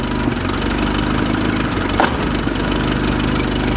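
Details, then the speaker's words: 1976 Fiat 124 turbocharged with new Atom X ECU, fuel pressure about 43 psi, exposed timing belt: steady, even idle, smooth low rumble, faint turbo noise, no knocks or misses; runs cleanly. "You can hear it a little bit. A little bit, yeah. Actually runs really good."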